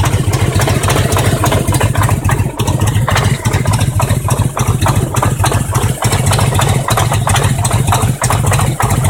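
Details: Harley-Davidson Road King Twin Cam 88 at about 50k miles: lumpy V-twin idle with an uneven knock about three per second over the firing beat; cause unknown. Engine knock at idle.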